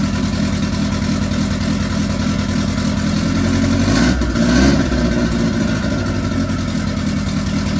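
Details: MK1 Ford Fiesta Zetec turbo first start: rough lumpy idle with uneven beat and one rev blip; rich and untuned but acceptable for first start.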